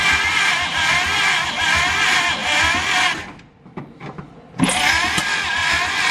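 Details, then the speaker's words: Abandoned 1950 Dodge Pilothouse truck with a flathead six and stuck rings: rhythmic starter grind of about two to three beats a second, a pause, then more cranking that never fires; it cranks but won't start. "just doesn't want to live oh all right i may call defeat for tonight"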